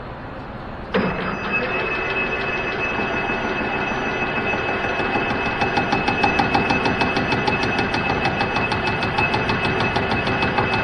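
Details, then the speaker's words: Cincinnati milling machine cutting a hardened weld while making a DRO head mount: steady cutting roar with regular thump about three times a second as the cutter hits the hard weld each pass. "so yeah you can really hear the thumping as that hardened weld comes around"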